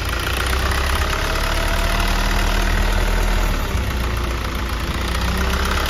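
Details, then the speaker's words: 2013 Hyundai Starex diesel idling after valve lifter replacement; first-start noise was the tensioner not yet filled with oil, and once oil came up the noise was gone, leaving a steady deep idle with no lifter ticking. "Yung unang andar mga kayabe, kasi yung tensioner natin mga kayabe, wala pang laman yung langis. Ngayong umahon ng mga kayabe, ayan. Wala na yung ingay."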